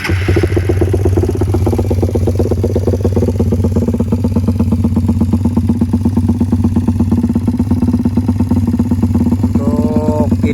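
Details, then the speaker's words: Suzuki Satria FU converted from carburetor to fuel injection, long unused, head still being checked, spark plug unchecked: uneven chuffing idle about three beats a second with stumbles; idle not yet stable, cause suspected not confirmed. "Mungkin kalian pengen dengar suaranya, tapi untuk mesinnya masih belum bisa halus karena masih ngecek head lagi, sama mungkin agak pincang karena emang udah lama belum hidup."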